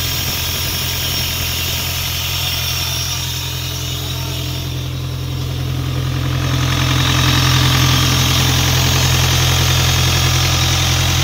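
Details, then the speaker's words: Isuzu 4LE2 diesel on an air compressor, now running after a no-start problem (smoke out of the intake while cranking, cylinder 4 blamed by others) and a cylinder head refit. Even idle at about three and a half firings a second with no misses or extra knocks. "bale Ito okay na umaandar na siya hindi kamukha nung pinuntahan natin ito na hindi talaga siya makuhang umandar"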